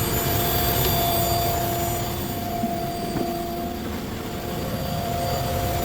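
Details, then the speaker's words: Car idling with AC/heater on and radiator fan spinning continuously; steady mid-pitched whir and hum under the idle, unchanging; no check engine light; the radiator fan itself is noisy and was replaced. "Ayan, may makining, no? Tingnan natin kung magbabago, takbo mo sa labas. Nandito yung ingay bro eh."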